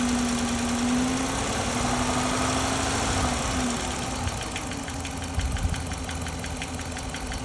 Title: Name that noise live data shows no misfires dodge charger hemi 5.7